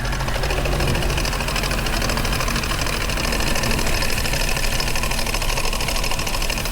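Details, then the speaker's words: Mercedes SL55 AMG, supercharged M113K V8 idling: rapid, even knock-like clatter from loose worn supercharger pulley bearings, sounding like engine knock; pulley removed for bearing replacement. "That's what it sound like cuz them bearings loose from missing."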